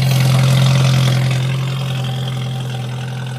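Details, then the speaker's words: 1989 Jeep YJ with 1995 2.5 EFI engine and five-speed swap, cold idle in snow: steady low drone with regular clatter about four per second, almost diesel-like, easing slightly as it warms; owner later notes a miss, cause unconfirmed. "Let that warm up for a bit. Sounds like a diesel almost."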